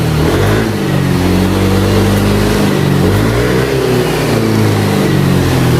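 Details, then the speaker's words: Older Yamaha Aerox 155 after camshaft bearing and rocker arm bearing replacement for a ticking complaint at steady throttle: smooth, even engine note staying clean as revs rise and fall, no ticking or rattle; healthy, though it now smokes. "Dan untuk suaranya sih aman bang, halus. Nah ini untuk hasil dari akhir, suaranya enak banget bang, mau digeber mau posisi lamsam enak."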